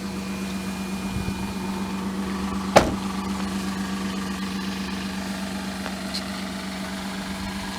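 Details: 2000 Mazda MPV 2.5L V6 at idle: steady low drone with faint uneven stumble and a single sharp crack, from an exhaust manifold leak plus engine misfire.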